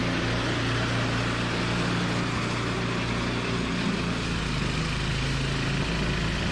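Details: Toro 521 snowblower after replacing a blown drive belt: small single-cylinder engine runs steady and even with a low firm drone, no squeal or slap from the drive; healthy.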